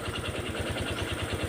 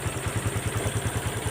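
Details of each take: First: Honda Wave 125 single-cylinder motorcycle idling: hard, regular metallic knock on every firing stroke over the exhaust beat; connecting rod/crank knock, mechanic warns it will soon lock the piston if ridden. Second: Honda Wave 125 just started and warming at idle after rebuild with genuine crankshaft/connecting rod, new bearings, clutch and valves: even steady putter about ten beats a second, no knock or rattle; quiet, healthy idle.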